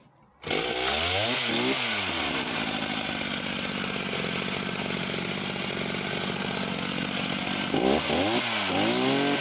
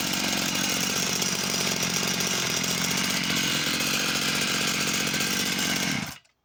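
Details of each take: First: Husqvarna chainsaw of unknown model with an 18-inch Oregon bar: starts, revs hard and holds top speed with a rough burbling edge. It is four-stroking a lot at the top end, possibly slightly lean. The chain runs bone dry with no oiling. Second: Husqvarna chainsaw of unknown model, restarted with the side cover off: even, buzzy two-stroke tick-over holding a steady pitch, then cutting out cleanly. It idles fine, though no bar oil is coming out.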